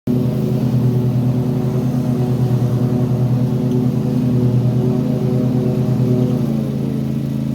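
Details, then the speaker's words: Toro TimeCutter mower, Kawasaki FR691V twin, hot after about 10 minutes running: irregular lumpy beat, skipping, cutting out and popping, stumbling near end; runs fine when cold; hot misfire, cause unconfirmed. "well if you heard there my um lawn more started uh kind of skipping cutting out popping uh misf um and it only does it once it's warmed up"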